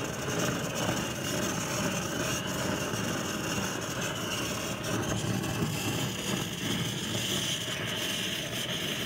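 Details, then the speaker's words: Vintage wall blow torch with a steady hissing roar that sags as it loses pressure quickly through small leaks. The pump seems okay and the check valve is not pushing the plunger up. Blow torch pressure loss. "Losing pressure pretty quick between the little leaks around here and so on."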